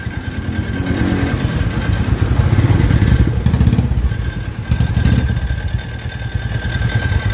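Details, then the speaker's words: New-model Royal Enfield Classic 350 (Reborn), owner's complaint of a noise on starting: single-cylinder idle thump with an uneven clatter and sharp rattly bursts. The cause was not stated; the noise was gone after the mechanic's repair. "गाड़ी को start करना इसमें आ रहा है एक sound आपको सुनाते हैं"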